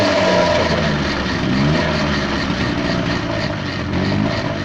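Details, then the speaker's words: Peugeot pedal moped two-stroke, one owner, stored since 1997, first run after revival while warming up, idle screw set 2.5 turns out: rough, uneven running with raspy puffing exhaust rather than clean idle; restarts easily, exhaust leak suspected. "Restart's nice and easy though, eh? Although it sounds like an exhaust leak to me."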